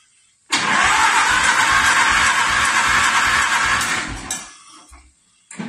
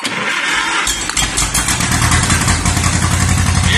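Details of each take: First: 1950s–60s John Deere bulldozer that had sat about 20 years, ether sprayed into the carb intake: steady rhythmic cranking about four turns a second, engine spins freely but never catches; spark to be checked. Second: 1950s–60s John Deere bulldozer that sat unused 20+ years, started with plugs back in and starter fluid, catching and settling into a steady, somewhat uneven running beat without stalling as it warms up.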